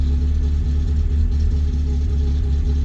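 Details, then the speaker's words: Rover 25 GTI 1.8 VVC, warm, restarted: steady drone stuck well above normal idle, fluttering, fuel smell; high idle, cause suspected but unconfirmed (idle air control valve or head gasket). "Turn it on. Still sitting really high. Flutting around like mad, and it smells quite fuely."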